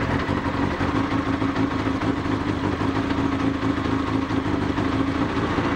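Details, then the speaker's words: Honda CBR1000F, a landfill restoration bike, engine running after reassembly: loud, busy metallic rattle over the exhaust note, something loose inside; the cause is unknown and the owner asks viewers what it is. "there's one final fly in the ointment which is in the form of the engine developing a very disturbing worryingly alarming [Applause] loud rattling noise"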